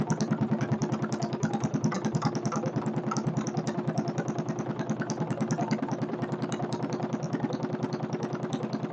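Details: Kohler K301 stationary single-cylinder engine, acquired free for parts, first start-up after checkout with chainsaw two-stroke mix added for lubrication, idle speed needing adjustment: steady even chuff at slow idle, no sharp knock heard; owner unsure but says motor sounds good.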